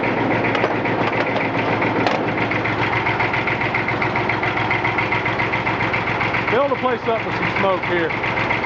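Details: 1959 Fordson Dexta with a 3-cylinder Perkins diesel (144 or 148 cu in), hard-started with ether and a small battery after sitting about six months. Old diesel chugging at a steady idle with clatter and hydraulic noise as the lift cycles; no knocking, it idles fine.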